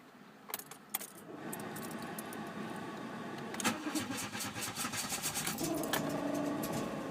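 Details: Mk2 Jetta 1.8: keys rattle, then several seconds of even cranking before the engine slowly stumbles into life; hard starting with extended cranking.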